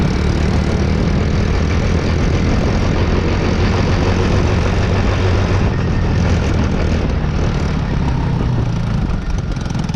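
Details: Taotao Boulder 125 Chinese ATV single-cylinder, slightly warmed up on a cold day after top-end work: steady low even chugging, no popping; runs normally though it still won't move.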